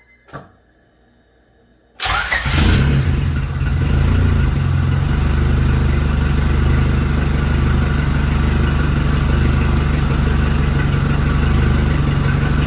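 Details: Rebuilt Honda B16 first start, timing set fully retarded, no coolant yet, air sensor disconnected: silence, brief crank, catches at two seconds and settles into a steady, even idle; runs normally.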